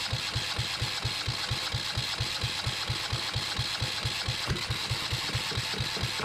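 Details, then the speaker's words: Yanmar 1GM single-cylinder marine diesel in a shop, with cooling water running through for cooling-passage flushing: steady, evenly spaced thumps at idle with no misses or hunting, not bouncing around. Normal running. "I just wanted to start it up I got that water going through there I know the lighting sucks um but thank goodness that I've got it running um and it's not bouncing around nearly as"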